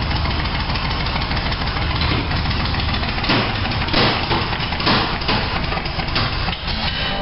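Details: 1987 Toyota Supra MKIII with swapped 350 Chevrolet Vortec V8 and 700R4, after rebuild with firing order and timing set: engine catches and settles into a deep, steady idle, even firing, no misses or knocks; normal start and idle.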